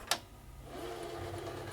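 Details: Panasonic/National NV-G30 VCR on bench test, rubbing noise noted: click as mechanism engages, then smooth even whir that builds and holds steady; normal rewind.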